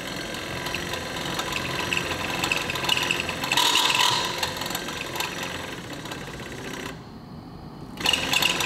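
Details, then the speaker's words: Truck wiper motor, a new aftermarket part just installed, running with the engine off: rough, rapid gear clatter and whirring chatter. It sounds badly faulty out of the box. "That one doesn't sound too good."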